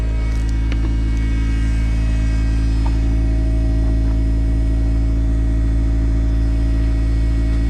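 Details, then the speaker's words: Turbo Honda CRX with new full exhaust after fixing raspy exhaust: deep, steady idle rumble with even pulse and light revving, no rasp or drone, healthy exhaust. "um guys it sounds so good even with some light revving i'm hoping that this thing does not drone"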